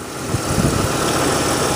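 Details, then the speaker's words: 1983 Lincoln Mark VI (Continental), V8, automatic, hood open: warm engine settles into steady even idle with low rumble, no knocks or misses; runs good despite a couple of oil and coolant leaks, cooling system holding pressure. "all right so thanks for bearing with me there folks you can see the engine's running good"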